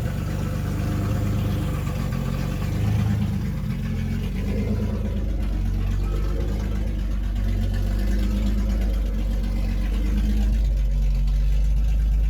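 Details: 1976 Datsun 280Z, first start in years after sitting four to five years from a failed fuel pump and fuel system work: deep, loud, open exhaust note, steady, swelling with light revs, no misses; started right up, runs normally (won't restart hot, owner suspects distributor).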